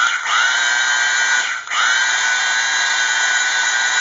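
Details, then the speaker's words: Rebuilt old 1/4" Thor electric drill running no load after reassembly: brief dip then smooth steady high whine, no grinding or crackle; speeding up, maybe as brushes bed in, no longer sparking; normal motor run. "so it does seem to be speeding up so maybe it's just a breath brushes are getting in it's not sparking like it used to"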